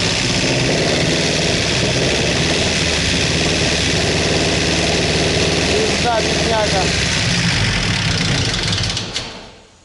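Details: Sierra engine run after fuel line work: rough running with a fast, fairly regular deep internal knock about four per second over the idle; owner believes the engine is finished, cause not confirmed.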